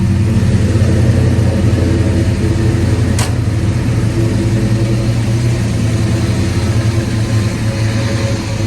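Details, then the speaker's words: 1991 Ford Mustang GT V8 rebuilt on a 94 block with new bearings and rings, GT40P heads and intake, after ECU change: deep steady rumble at even idle with no misses or knocks; runs healthy, better than before. "Hopefully it starts. Good. Good. Better than last time."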